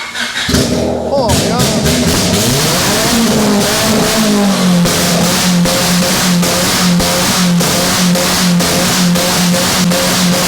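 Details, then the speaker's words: Honda after welding all over it with the battery still connected: the engine blips up, then settles into a steady, even idle with no knocks or misses; it still runs smoothly and sounds healthy. "oh you just can't kill a Honda listen to her purr oh yeah just can't kill him"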